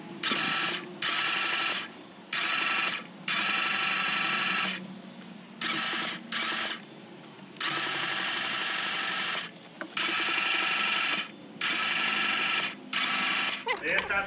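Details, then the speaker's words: 2015 Ram ProMaster MultiAir 2.4 crank-no-start: repeated one-second cranking bursts spin fast and light with no compression beats, sounding like lost valves or timing chain; chain intact, trapped air in the MultiAir actuator holds valves shut; bleeding it while cranking fixed it. "¿Cuál es el problema de este vehículo? Ese, que ya no arrancó, pero no solo ese, sino que se escucha como si el vehículo no tuviera compresión, como si se hubieran ido las válvulas o la cadena de tiempo."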